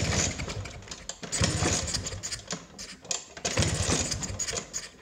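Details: 1979 Vespa P200E two-stroke, 50:1 premix, fresh fuel lines and filter, died and won't restart despite spark and fuel: uneven cranking bursts about every two seconds with no catch; cranks but won't start, owner wonders if magneto is dead.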